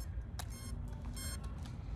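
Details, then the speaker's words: Hellcat (Henry Manning 585) during test and tuning: short high chirps in uneven bursts over a low motor rumble; warning that it is overloading and the batteries need charging. "all the battery's gotta get charged guys the overloading guys you hear that"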